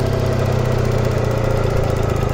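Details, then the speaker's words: 1992 Suzuki Cappuccino at steady idle with a fast, even light top-end ticking over the engine note; owner says forums report the same tick on every Cappuccino, cause not pinned down. "and that ticking sound that's a very common every kind of yeah every cappuccino and then I've read it in forums everyone all over the world has the same problem"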